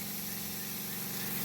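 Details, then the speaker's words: New small Seaflow variable-speed pump on battery and solar power drawing spring water, shower throttled to about half output: smooth steady buzzing hum rising slightly as flow and pump RPM increase, one brief recycle kick, running rock solid and normal. "the pump is still running Rock Solid that kicked one time on a recycle that's no big deal"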